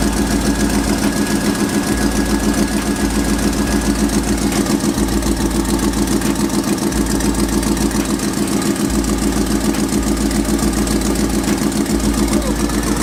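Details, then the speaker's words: Chevrolet Silverado 5.3 after installing eBay headers, idling: a quick, even puffing tick over the exhaust note, about three or four a second; suspected exhaust leak at the bottom, possibly the passenger-side collector, not confirmed. "Go ahead and jack it back up, 'cause it sounds like it's on the bottom. We got an exhaust leak somewhere, passenger side collector maybe."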